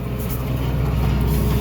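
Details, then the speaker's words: Massey Ferguson (Fergie) tractor pulling a 12 m heavy set of seedbed rolls over dry ground: steady engine drone with loose metallic clatter from the rolls rattling, normal rolling operation. "So the rattling in the background is the rolls."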